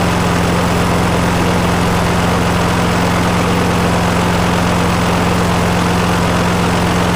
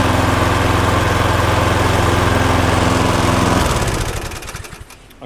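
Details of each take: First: 2009 Viking lawnmower before repair, suspected bent crank after hitting something: runs at steady speed with heavy regular shudder about four times a second, shaking enough to hurt the hands. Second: Viking lawnmower, suspected bent crankshaft ruled out, relatively new plug, auto choke: steady even single-cylinder drone, no shake or knock, then winds down and stops; smoky from tipping, no longer vibrating.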